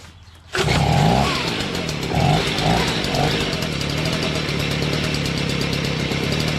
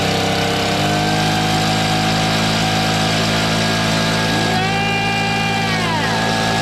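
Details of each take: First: Stihl BG55 two-stroke leaf blower with a new carburetor. It runs at a steady high buzz with lazy surges and dips when the throttle moves. Owner says it doesn't quite bog, but throttle response is poor. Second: Stihl BG55 leaf blower two-stroke after new carburetor, fuel line and air filter base: steady even buzz at half choke, then smooth at full run with no stumbling or surging; normal idle and run.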